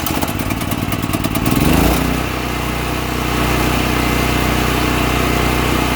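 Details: All Power APGG12000GL 12000 W dual-fuel generator after carburetor cleaning for stale gas jamming the carb solenoid, choked, electric start: starter churns about two seconds, engine catches and settles into an even run, no misses; running normally.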